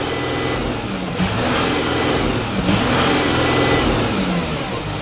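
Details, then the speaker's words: Audi Q7 3.0L diesel revved from inside the vehicle after new Audi cylinder 4 fuel injector fixed P0272 misfire and combustion leak; rises and falls smoothly through two blips, clean even firing, no misfire, check engine light off; normal revving. "the engine is no longer misfiring this is good we're good to go"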